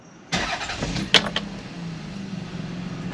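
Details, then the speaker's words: Toyota Sienna with over 200,000 miles, just after an oil change with 5 quarts of 5W30: quick crank, clean catch, smooth even idle with no ticks or knocks; oil pressure came up quickly, light went out, no bad noises. "The engine isn't making any bad noises. It does have oil pressure, and it came up pretty quickly."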